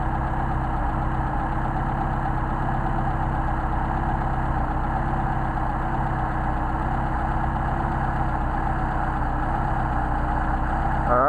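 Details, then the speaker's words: Mercedes 190SL with Solex carburettors, idle mixture screws being adjusted; steady idle with a slightly uneven beat and an occasional stumble as revs sag, as the mixture screw is set too far out. "these are very sensitive since we have these machines now you hear that stumble"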